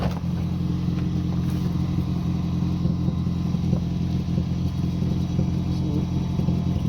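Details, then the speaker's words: 2007 Toyota Prius Mk2 1.5 VVTi hybrid, recently bought used, idling on jack: steady low drone with loose puffing chuff from exhaust blowing at a rear joint; to be sealed with exhaust gum paste and reassembled. "here is where the blow noise is coming from so i'm just going to seal it up and open it up seal it up with some glue gum exhaust base and then stick it back together"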